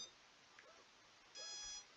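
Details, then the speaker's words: Skystars 4-inch long-range quadcopter on battery plug-in during Betaflight setup: faint, quiet room with short high-pitched ESC warning beeps continuing while one motor spins on its own. "one of the motors is turning all by itself and it does keep beeping it's really weird"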